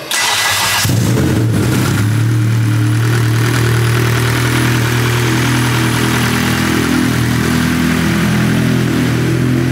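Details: Newly built nitrous K20/K24 Honda Civic EG hatch, about 400 hp, first start with big injectors and clutch not yet bled: brief cranking, then catches and settles into a steady, even rumble without stumbling; clean healthy start.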